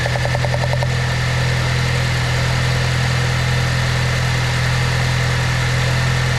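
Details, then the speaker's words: Saab 9-3 with a misfire, running at idle: steady hum with a quick, light ticking from the coil pack, the normal spark tick showing that coil is firing; all coils found good. "I should hear like a little ticking sound if it's working correct. And if it's not, then it should be completely quiet and not have an effect."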